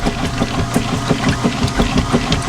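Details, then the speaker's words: Top-load washer agitating a load of towels: repeated clacks about five or six a second over the motor hum from worn agitator dogs slipping, which a comparison machine doesn't make; the cheap part can be ordered ahead of failure. "you can hear the warned agitator dogs. Shouldn't do that. And for comparison, it doesn't make that sound."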